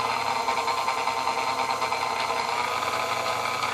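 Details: Restored Sunbeam Mixmaster Model 10, freshly rewired and greased, first run after restoration with parts not yet seated; smooth even whirring hum with steady pitch, no knocks or grinding, motor runs cleanly.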